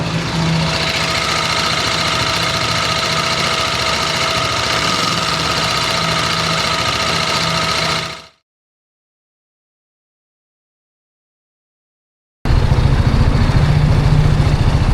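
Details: Hot idle at 109°C on a TVS Apache RR310 with about 14,000 km: steady light top-end ticking after the bike fell over a rock. Owner suspects the cam chain tensioner or valve clearance; the mechanic suspects the camshafts and top end.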